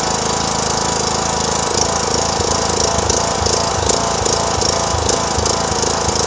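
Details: 2009 John Deere LA105 lawn tractor, 42" deck, yard-sale buy started with a jump pack: loud small engine runs with an uneven, hunting beat, then shuts off; rough running, owner says it needs a tune-up and fuel system service.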